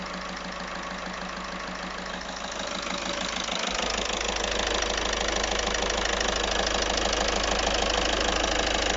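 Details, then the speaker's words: Audi 1.6 TDI diesel at idle: sharp regular tick about two per second over the clatter, heard better with the clutch pressed (flywheel noise gone); a possible injection miss at start-up. Top-end tick, source unknown. "J'ai l'impression de le percevoir là. Tic tic tic tic tic tic tic. Ouais, et quand on débraye, on l'entend mieux."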